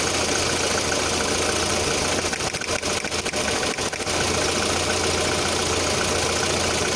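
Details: 1.6 8-valve petrol engine at a steady idle with uneven knocking and a brief dip midway; the owner reports a knock at idle, sometimes on adding throttle at start-up, with the cause still to be found.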